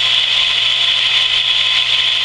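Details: Camp water pump after winter sitting, just primed with hose fully filled; even steady high motor whine, no knocking, rattling or surging while pressure builds toward 50, cut-out expected 40–50; normal running.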